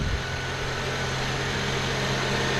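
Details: 2.4L Honda/Acura i-VTEC engine after serpentine belt replacement: steady, even idle with a smooth low hum and no chirp or squeal from the belt; sounds healthy.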